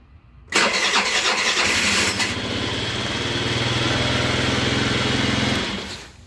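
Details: Scooter that sat two weeks, with spacers added between the variator cover and case for ventilation, previously starting only by kickstart. A quick starter whirr, then it catches at once and settles into an even, steady idle, a normal electric start.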